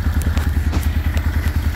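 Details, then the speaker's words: 1995 Suzuki Intruder 800 V-twin, first run after 13 years stored, carburettors rebuilt and cleaned. Lumpy idle of about eight pulses a second with sharp ticking puffs: a big exhaust leak, and carbs not yet synced with throttle cables unconnected. "There is a fat exhaust leak right here. I gotta fix that. But my next step is now getting the throttle lines on there correctly, so that way we don't have to do this separate carb acceleration."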